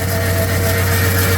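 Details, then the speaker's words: 1966 AMC Marlin 327 V8 at idle during a mechanical restoration: a steady low roar and constant whooshing hum over the engine from a locked fan clutch spinning the fan when it shouldn't; loud. "Right away you can hear that clutch."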